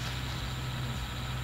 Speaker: after it's bound you start your Motors by pressing the red button then your Motors go into a nice idle listen to how quiet they